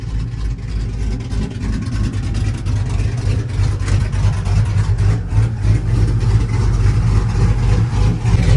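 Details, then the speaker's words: Cammed LS V8 Chevrolet Tahoe after misfire repair work (previously new plugs, wires, O2 sensor), cold-ish start: steady low rumble with even cam lope, no stumbles; now idling smoothly on all cylinders. "It was like you can tell it's misfiring, but right now seems pretty smooth. Now, it sounds like it's running on all cylinders now."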